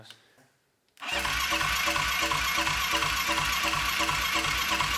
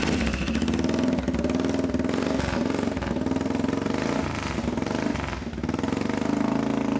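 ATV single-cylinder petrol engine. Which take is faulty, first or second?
first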